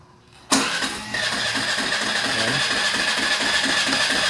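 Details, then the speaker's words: Suzuki Burgman scooter, nearly new, won't start without throttle and stalls: starter whirrs briefly, then a fast, slightly uneven idle; idle speed control valve locked by dirt in throttle body suspected, cracked insulator also found. "throttle pa natin Oh throttle Pa bago mag-start bitawan natin mamamatay"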